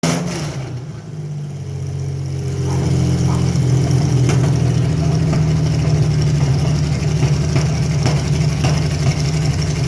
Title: Carbureted Chevy Luna 3100 With bad coal pack misfiring had a small vacuum lake